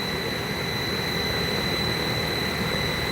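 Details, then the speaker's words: Solar-assisted DIY AC compressor on a VFD, utility power only, carrier frequency likely 4 kHz: steady high-pitched electronic whine over low compressor hum. Normal drive switching noise, compressor running fine. "now i can go in there and change the carrier frequency one step higher they say that compressor windings get hotter as you keep changing that frequency up so i think it's on the normal it's either on two kilohertz four killers what's that sound like to the ear might be four kilohertz"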